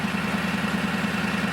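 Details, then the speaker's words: Toyota Tundra, stock exhaust before a dual exhaust install, idling not fully warm: a quick, even puffing tick about ten times a second over the idle. Owner suspects an exhaust leak somewhere. "so here's the current exhaust sounds like crap it's pretty unesthetic it's really ugly actually and i think it currently does have some kind of exhaust leak up here somewhere i'm hoping that it's actually in the exhaust which i think it is"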